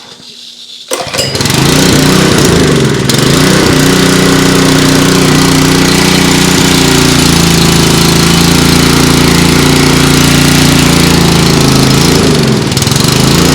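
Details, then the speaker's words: Honda GX200 on a DeWalt DXPW3635 pressure washer whose AAA pump makes no pressure: after a pull it catches and holds a steady, slightly labored drone, but only runs on full choke; carburetor work expected. "the engine only likes to run on full chokes so we're probably gonna have some carburetor work to do there but that's not unusual"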